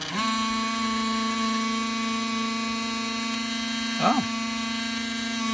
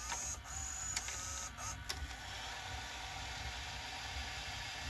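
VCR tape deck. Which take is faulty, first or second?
first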